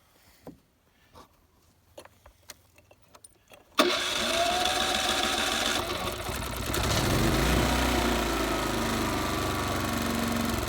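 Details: Typer 3000-watt electric-start inverter generator started after an oil change with the battery refitted: a few light knocks, then fires and settles to a steady, even hum with no misses; running fine.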